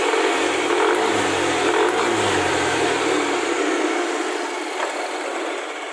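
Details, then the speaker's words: Yamaha NMAX with KLX dome piston, stock camshaft, fully assembled with coolant filled, first start: engine revs and settles with light regular clicking; noisy CVT, loose roller slider clicking, to be fixed. "CVT-nya agak berisik, penggesernya berbunyi klik. Nanti saya perbaiki bagian penggesernya karena longgar."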